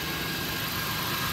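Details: 1999 Ford Taurus 3.0 OHV V6 at steady idle with an even hiss and hum, no stumbles or surges. It is running on its own after a jump start from a fully discharged old battery at 9.90 V. A replacement alternator is charging; normal idle.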